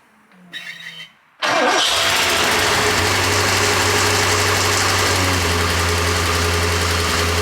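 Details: Porsche 928 V8 after oil pump work, auxiliary belts and clutch fan still off, test start: brief crank, catches at once, settles into steady even idle with no knocks or stumbles.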